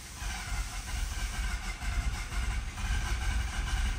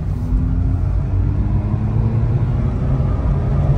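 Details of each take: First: 2011 Mazda RX-8, 1.3 L naturally aspirated rotary, low compression; slow uneven starter churn with loping beat and wet hiss, never fires; badly flooded, nearly catching, battery weakening. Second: 2011 Mazda RX-8, 1.3 L naturally aspirated rotary after ECM replacement and clearing a flood; driving at wide-open throttle, deep even rumble climbing smoothly with no misfire; runs good, check engine light gone.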